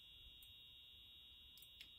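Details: EH-24S (piezo-type) being restored, powered up: a thin, steady high-pitched tone comes through but very faint, barely above room hiss; the strobe works. A capacitor is suspected to affect the piezo sound amplification. Weak horn output.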